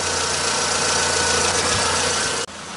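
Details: Car AC compressor heard from under the car at engine idle after a repair; a smooth, even hum with no clicking, rattling or grinding: normal AC compressor running.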